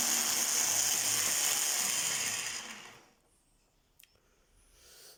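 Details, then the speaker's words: Kenwood food processor in mincer mode, gearbox cover come loose and bouncing: high-pitched harsh whirring grind while running, dying as it stops; planetary and bevel gear teeth found worn. "Это означает, что как планетарная, так и коническая шестерни имеют изношенные зубья;"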